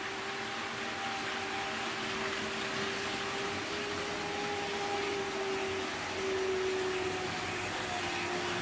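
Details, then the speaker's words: Trix 22764 BR 120.0 DB electric locomotive, HO scale metal model, at 50% power: steady mid-pitched motor whine over constant hum, no knocks; motor quite noisy, less than Fleischmann BR360 but noisier than newer models, yet a smooth runner. "The motor on this train is quite noisy, although it's not quite as noisy as the Fleischmann BR360, but it is quite noisier than the newer model trains that I have."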